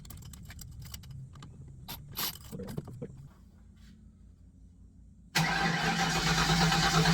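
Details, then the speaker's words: Fox Body Mustang with weak battery: engine suddenly catches and roars briefly on sprayed starting fluid (brake clean), suggesting fuel delivery fault despite fuel pressure; owner to check the factory injector harness ground. "now okay we got a fire off there [Music] all right so it'll bark if it has fuel so the fact that I've got fuel pressure unknown quality of fuel but there's definitely liquid there should be enough to bark"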